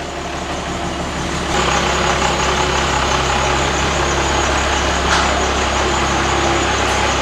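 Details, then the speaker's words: Cummins diesel flatbed truck with dual stacks: deep, even diesel idle with steady low rumble through dual stacks, no knocks or misses; normal idle. "that's nice that dual stack sound that's what i was after"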